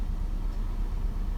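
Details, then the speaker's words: 2005 Nissan Altima 2.5 four-cylinder at 200,000 miles with code P0301, revved slightly: low, lumpy idle with an uneven stumble; cylinder 1 (and 4) misfire from plugs fouled by oil through leaking, non-replaceable valve cover tube seals. "we rev it up a little bit oh yeah she's misfiring really good right there"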